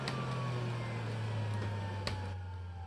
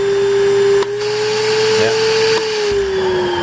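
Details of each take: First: Panasonic Jet-Flow MC-9520 canister vacuum, after running on high at 10.7A and about 101 CFM at 121V: high whine slowly coasting down for a long time, from dry ungreased motor bearings. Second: Panasonic Jet-Flow canister vacuum, highest power setting (rugs): steady high motor hum, soft puff then pitch eases as little suction relief valve blows and vacuum gauge swings over; working as designed.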